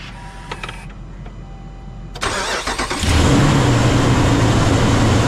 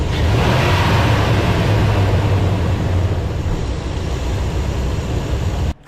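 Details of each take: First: Ram 2500 6.4L Hemi, new viscous fan clutch just installed, cold start: starter cranks, engine fires, loud steady fan roar over idle. Fan roar on cold start. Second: Ram 2500 6.4L Hemi V8 after fan clutch replacement and warm-up drive to temperature: deep even rumble with no fan roar, clutch disengaged, smooth idle. Normal idle.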